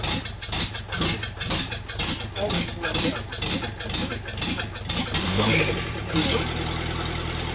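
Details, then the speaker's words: Kubota V2203 diesel, a candidate swap into a 1959 Jeep CJ-5, on its first fire-up on a frosty spring morning: about five seconds of cranking, then it catches into a steady, even idle, turned up so it doesn't surge. "I kind of got the idle turned up so that it idles smooth. It doesn't do that surging thing, and seems to run all right."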